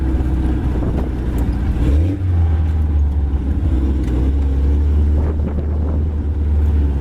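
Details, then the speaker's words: 1980s Suzuki SJ (Jimny) off-roader with solid front and rear axles, driving: strong, low, even engine drone pulling steadily with no stumble. Idle is not good, but it is firing on all four cylinders. "all right well essentially rain pretty well it's not widely in the Beast but who needs Idol anyway it seems to be running on all four"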